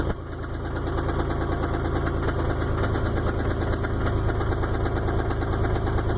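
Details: 1999 Isuzu at idle: fairly steady knock about three per second tapping over a rough idle; lower-end engine knock, owner suspects main or rod bearings are shot.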